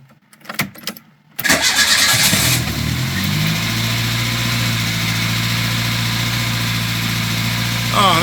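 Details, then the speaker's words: Renault 5 GT Turbo on its first start after carburetor repair and refit: the starter spins briefly, then the engine catches and settles into a steady, even idle with a smooth low hum; normal idle. "wow well we it fired up I'm that's amazing it's got life"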